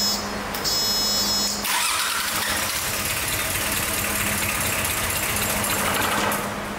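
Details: 34-year-old unused Sabb M4 diesel after electric lift pump fitted and mechanical injector pump rebuilt: catches after cranking, settles into steady even run with low hum; diesel starting and running, fuel delivery fixed.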